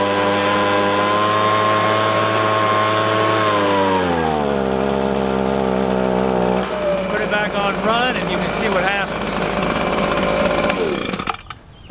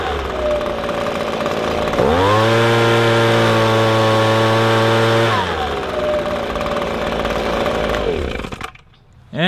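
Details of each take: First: Echo ES-250 (PB-250 same engine) two-stroke leaf blower, warmed up: idles fine but at full throttle screams then pitch sags and stays low, only about half power; lean high-speed carburetor mixture causing bogging. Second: Echo ES-250 two-stroke leaf blower, screw adjusted while run wide open: snaps from idle to clean steady high scream about three seconds, no bogging, then settles; normal full-throttle run.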